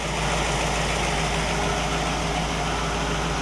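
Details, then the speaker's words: 1960 Pontiac Catalina 389 V8 barn find hooked to a 1960 Heathkit IO-20 ignition analyzer; smooth, even idle with steady low rumble, no stumbles or knocks; ignition checked spot on, engine running well. "we've got a good running good working tester and a good running engine"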